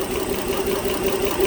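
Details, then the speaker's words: 2010 Dodge Journey 3.5 V6, MIL on, P0206: idle just started misfiring (not missing when driven in); scope shows number 6 injector pulse missing; uneven lumpy pulse over steady hum, one cylinder dead, either from the ECM shutting down the drive circuit or an open circuit. "i'll double check the firing order it's actually started to miss now"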